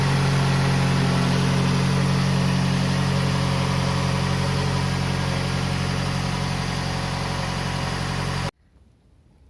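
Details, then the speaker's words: Toyota RAV4 2.0 1AZ-FE after rebuild for a suspected connecting-rod knock at 2,200 rpm (new timing chain and guides fitted): smooth, even idle with a steady low drone and no knock or tapping, then a clean shut-off; runs normally. "работает четко"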